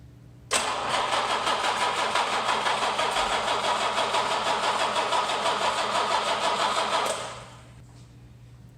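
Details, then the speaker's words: 1967 Jaguar E-Type, first start attempt of the junk engine: starter churns about six seconds at roughly three beats a second, never fires; no spark, distributor rotor found broken inside. "just about to test the ignition system. Didn't seem to have any spark there, so gonna check power to the coil and see what the rotor's doing."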